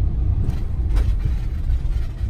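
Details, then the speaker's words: Van after Kilmat sound-deadening mat installed on the back doors and rear, test drive: only a steady low road rumble, no tapping, buzzing or body rattle; quiet and solid. "just heard, but there's no rattle. That's awesome."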